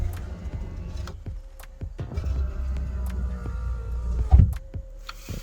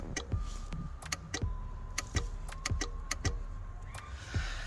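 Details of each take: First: Nissan 200SX S13 passenger door window: switch clicks, then steady low motor drone as the window travels smoothly, normal operation. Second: Nissan 200SX S13 driver door, panel off: sharp irregular relay clicks with each switch press but no window motor whir; cause was a cracked solder joint on the door relay circuit board, not the motor.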